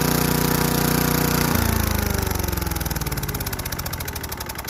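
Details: Craftsman Eager 1 4hp chipper vac (model 987.799790, auction flip) in chipper mode. Runs steady, bogs slightly as sticks feed in, with rhythmic chopping about three per second; bent sticks jam. Chipping normally.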